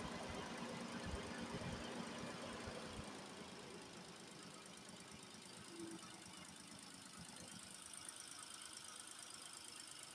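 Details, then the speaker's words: Nissan Almera after radiator cooling fan motor replacement and coolant top-up (no bleeding needed, system not fully drained): steady idle with soft even beat, no knock or fan rattle; normal idle. "เรียบร้อยเราก็ไปลองสตาร์ทรถดูครับเช็คดูว่ามันปกติไครับ"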